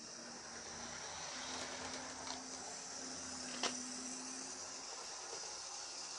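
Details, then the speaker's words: Second-hand Lima Class 73 model locomotive after wheel cleaning, before oiling: steady even motor hum with light high-pitched whir, no stutter; running noticeably better than before. "but she does seem to be a fair bit better have a listen"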